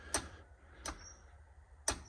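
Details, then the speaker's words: Land Rover Defender, ignition lights on: three sharp single clicks with no cranking as the key is turned; owner suspects the starter motor failed again, as before. "absolutely nothing can hear the starter"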